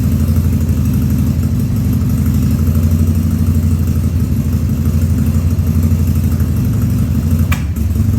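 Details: 2000 Harley-Davidson 1200 Sportster V-twin on its first start after a carb rebuild and leak fixes, air cleaner removed: an uneven, loping idle with occasional stumbles and small coughs, running a little lean.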